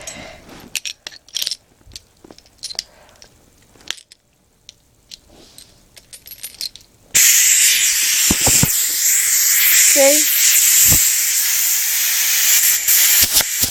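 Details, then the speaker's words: Homemade steam engine run on compressed air, air nearly exhausted (~5 psi): quiet light ticking, then sudden loud steady high hiss of escaping air from the homemade custom valve; not leaking much, just very loud. "this isn't the most efficient valve it doesn't do it justice though it really isn't leaking too much it's just very loud"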